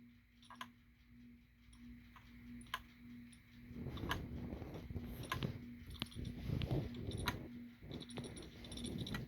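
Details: Laptop making sharp, irregular single clicks a second or two apart, partly buried under handling rustle; cause of the intermittent internal click unknown.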